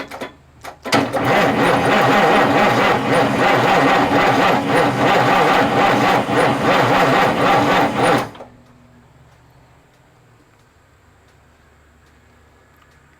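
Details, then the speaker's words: 1989 Marmon diesel truck with Jake brakes, after about an hour of cranking and ether attempts: slow, even cranking around three and a half strokes a second, then it stops dead. The starter gave up, likely overheated; cause not confirmed. "how's that noise the starter cooling off as much as i've cranked on this thing dude starter just gave up ship"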